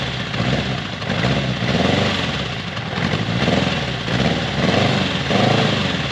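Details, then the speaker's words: 1979 Honda CB750 first start in over 20 years, freshly cleaned carburetors, new battery, choke on: cold four-cylinder idles low with a slow rise-and-fall hunt every second or so; carbs need more tuning, idle screw may need turning up. "i don't know if you can tell but i am super stoked so it sounds like the carbs need a little bit more tuning i may need to turn the idle adjustment screw up"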